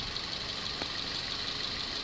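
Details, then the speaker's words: 2007 Toyota Vios after AC system flush, new compressor and new valve: quiet steady idle with AC running, soft even hiss, no knocks, rattles or squeals; engine and compressor running normally. "เสียงการทำงานเงียบนะครับอ่ามีเสียงเงียบนะครับเครื่องยนต์ทำงานปกติ"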